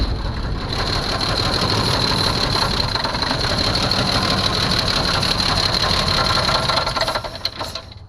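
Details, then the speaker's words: 1982 Jeep Cherokee, not run in years, fresh fuel added and no fuel yet in the glass filter: uneven, stumbling run with an irregular beat that sags and fades out at the end. Rough running from fuel starvation; oil level checked fine. "She don't sound too healthy."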